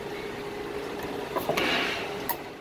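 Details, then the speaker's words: A door closer, shown during a roof-hatch and compressor-change job, latches properly: a quiet room, then sharp clicks as the door swings shut and the closer locks fully down, pushed to the locked position and going no farther. "listen click it went down far enough that it's locked in down and this won't go down anymore"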